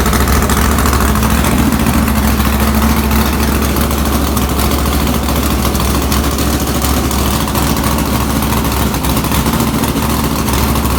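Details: Comet engine restarted with new spark plugs after old plugs were reused and one cylinder stayed cold (about 120 degrees) while others ran hot; coil suspected: loud idle with slightly uneven lumpy beat, about three pulses a second, suggesting a cylinder misfire.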